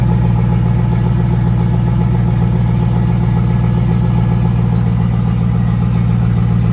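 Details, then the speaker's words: 2002 Chevrolet Camaro Z/28 35th Anniversary, 5.7L LS1 V8 325 hp, automatic, 18,000 original miles: deep steady V8 burble at idle, even low rumble, no knocks or ticks; normal healthy idle. "Great sound to it. Cut it off here. It really has a great sound to it."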